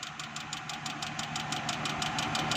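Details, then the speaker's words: Idling petrol car engine with a steady, sharp knock about six times a second over the running sound, checked with a stethoscope to locate the noise source. "दोस्तों, गाड़ी के engine से आवाज़ आ रही है तो हम इसको चेक करने लगे हैं।"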